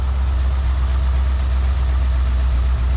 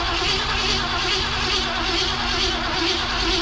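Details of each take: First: Long-abandoned 1971/72 Ford Mustang V8 at idle, no smoke except under heavy acceleration: deep, steady, even low rumble with no knocks or misses; runs smoothly. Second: Long-abandoned 1971/72 Ford Mustang fed starting fluid: starter churns about three turns a second, engine catches briefly and rises, then fades without idling; sounds like running out of fuel, fuel pump suspected, not confirmed.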